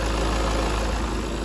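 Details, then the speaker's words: 2016 Ford S-Max, about 190,000 after timing belt failure repair and earlier head gasket at 186,000, first start: smooth even idle rumble, no ticking or knocking; sounds good. "it's up it's running it sounds okay sounds good"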